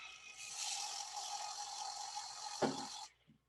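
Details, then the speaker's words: Viper MINI DTG pretreatment machine pump priming with pretreatment solution: steady hissing, buzzing pump run about three seconds, then stops with a soft clunk; line then checked for no bubbles. "basically we are now filled with the pre-treatment and we can double check by making sure we don't see any bubbles coming through the line of the pre-treatment here"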